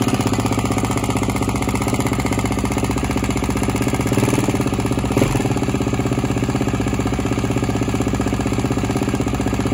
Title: G450X noisy while cold